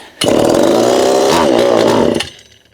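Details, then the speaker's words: Homelite Super EZ chainsaw, boxed about two years after transit damage and non-starting, on its first test run after reassembly; assembly oil makes compression artificially high. It fires straight to a strong, steady two-stroke buzz for about two seconds, then fades: normal running. "Okay, I believe it is time for a test run. Compression is going to be artificially high at first due to the assembly oil. It's a good sign."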